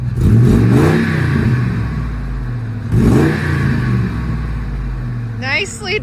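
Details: Ford Expedition after shorty headers were installed to cure an exhaust leak: two throttle blips with revs climbing cleanly and settling back, no ticking or puffing, so the exhaust is sealed and revving is normal.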